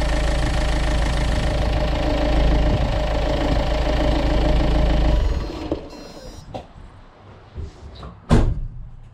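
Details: Renault Kangoo 1.5 dCi diesel after accessory belt change and oil change: even clatter for about five seconds, then clean shutdown, no belt squeal; sounds healthy.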